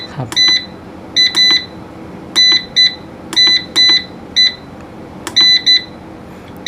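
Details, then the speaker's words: Anern 6.2 kW inverter under repair after battery-terminal short and arcing: high sharp beeps in pairs and triplets about once a second, the low-battery cutoff warning. "ถ้าไม่มีไฟACนะครับจะตัดที่เมนูที่29นะครับนี่2019ต่ำตัดที่47โวลต์ครับ"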